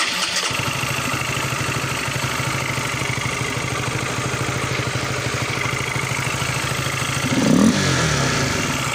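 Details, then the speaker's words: Honda Supra GTR 150, which stuttered and would not take throttle, after shifting the TPS sensor position: starts after a brief crank, steady even idle, clean pickup on throttle blip. "sip berarti penyakit pada sepeda motor ini udah rampung ya"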